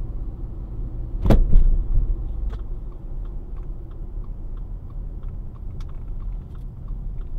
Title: clunking noise